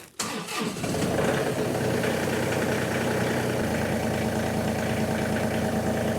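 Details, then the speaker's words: John Deere 2038R diesel tractor, cold start after a short glow plug preheat, throttle not set to half; short crank, starts right up and settles into an even, steady diesel idle without misses or knocking: normal cold start and idle. "okay i didn't have it to have throttle clearly but it started right up too"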